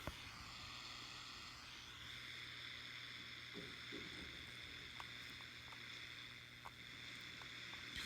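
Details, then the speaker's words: Zenith M660 shortwave tube radio on SW3 during trimmer adjustment after some tubes were changed; a steady hiss with faint ticks and a low hum, and no station; reception is worse than before, cause not found. "I did change some tubes, and boy, this is worse than it was. There's some slight static right there, if you can hear it."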